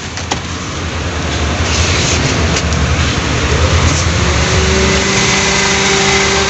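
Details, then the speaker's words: 2019 Honda Brio (single front fan motor), AC wasn't cooling because a blown fuse cut current to the compressor; after fuse replacement, engine idles evenly and the compressor cuts in with a faint steady hum, pulley turning, no rattle or squeal: normal compressor operation. "nah ini udah nyala ya temen-temen dan kompresor udah jalan v-nya juga muter ya temen-temen ya"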